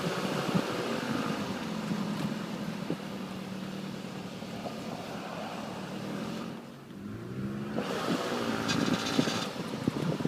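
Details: 2007 Nissan Altima: rough start-up, engine runs unevenly, then irregular metallic rattles build in quick bursts toward the end.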